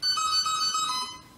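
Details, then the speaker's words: E-Flite Apprentice S 15e after upgrading the stock motor and ESC to an E-Flite Power 25 motor and 60A ESC: a short series of clear musical beeps on battery connect, the normal arming tones of the new ESC. "that's a different motor sound there from the last one, but I'd expect that, the ESC sound coming from the new ESC and new motor there."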